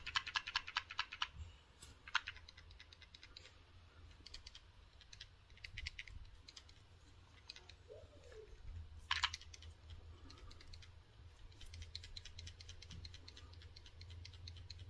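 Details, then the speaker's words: Samsung Galaxy S20 Ultra replacement phone being shaken: short bursts of light ticking rattle; something small loose inside, owner suspects selfie camera, not confirmed. "yeah so something is loose there I do not know what it is but something is loose"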